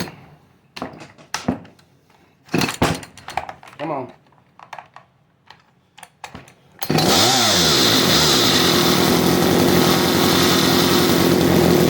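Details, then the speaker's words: Chainsaw (CS310, two-stroke) on high idle with the low-speed screw turned out and an unhooked clutch spring: it screams at a steady high idle with the chain whirring nonstop. Too much fuel plus the clutch fault keeps the chain spinning. "see how the chain is still spinning now it's gonna keep doing that because it's getting way too much fuel"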